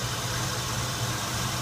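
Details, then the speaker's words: Oldsmobile 307ci V8 after replacing the leaking EGR gasket that caused a vacuum leak: smooth, steady low idle with no hiss or whistle around the EGR. Problem believed fixed. "I think we got this problem rectified I think it was just a gasket was my assumption from the get-go this instance needs to be running very nicely that is a low idle and seems very performance oriented now"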